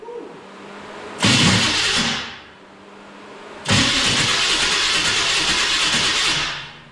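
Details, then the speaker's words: 1966 Chrysler Newport convertible, engine cranked after sitting for years: two long bursts of harsh, raspy starter whirring with no catch; starter sounds terrible, suspected loose or needing a shim. "That's definitely probably what it was. The starter sounds terrible. I'm gonna guess she needs a shim or it's loose."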